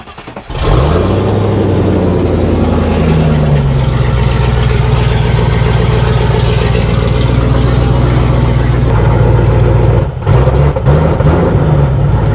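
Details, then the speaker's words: Range Rover Classic V8, first started in 7 years, running poorly: catches, revs steadily, then dips and stumbles before recovering; revs fine slowly but hesitates on snap throttle, owners suspect fuel pressure regulator. "When you rev slow, it revs good. Yeah. It's if you want to just bang it down, Yeah. it doesn't go, I don't know what to do."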